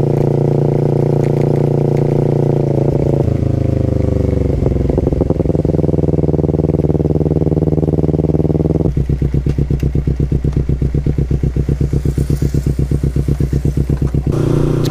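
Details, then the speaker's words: Kawasaki Ninja 250 FI twin after chain and sprocket gearset replacement: clean idle and throttle blips, only exhaust pulses, no chain whirr or grind; normal chain drive. "Jadi suara si gearset yang sebelumnya berkolaborasi dengan suara knalpot berisik banget, srek. Nah sekarang udah bener-bener hilang."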